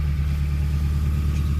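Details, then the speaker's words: Honda K24A engine swapped into a DC2 Integra, first start after sitting a couple of cold days: smooth, steady low hum at idle with no ticking, hunting or rattles; healthy idle. "it sounds really good. I don't know if I can go ahead and try to get my foot on the throttle here. Sounds like a typical Honda."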